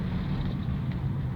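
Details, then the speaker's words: 2010 Chevrolet Astra on a road test after front suspension parts replacement: steady low road rumble, with none of the earlier knocking and clunking from the front over small bumps. "Tá perfeito. Não faz mais aquela barulheira que estava fazendo."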